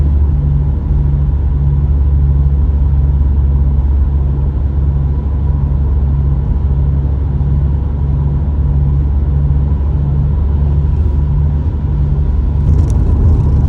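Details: Subaru STI at constant speed: steady deep droning rumble under the road noise, suspected tire or wheel bearing, which one unclear.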